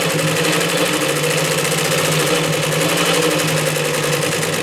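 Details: Vintage Singer 112W115 industrial double-needle, needle-feed lockstitch machine sewing four layers of vinyl-like material: fast, even stitching chatter over a steady motor hum with no skips or knocks, slowing at the end; a normal sewing run.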